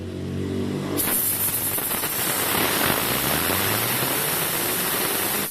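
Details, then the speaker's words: Honda Supra 125 connecting-rod repair, bearing cleaned of dirt and spun dry by hand off the engine: gritty rushing rumble as it spins down, normal for a clean dry bearing, not a failed one; dry bearing rumble. "kedengaran toh loh semua lahar kalau keringnya kayak gitu Mas Bun jangan membodohi"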